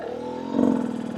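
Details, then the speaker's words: New Rieju MR300 Ranger two-stroke after jetting adjustments, at steady low throttle: a smooth, controlled, single clean note with no sputter or burble. This is exactly how it should sound. "Right there. That's exactly what you want your bike to sound like. Smooth, controlled, one note on that low power."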